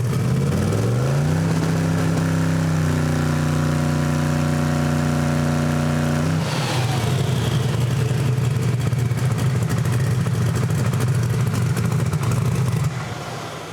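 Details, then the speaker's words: Drag Camaro on Fuel Tech dyno, trans brake launch test with wheels spinning: revs climb fast then hang flat at high pitch until dyno load pulls them down; rev limiter hit on launch, launch settings being adjusted. "Okay, that was really close. It actually went right up on the rev limiter real quick. The dyno caught it, just loaded it back down."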